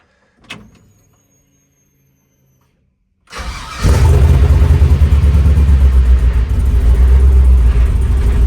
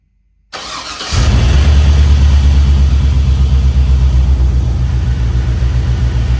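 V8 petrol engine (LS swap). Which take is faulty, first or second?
first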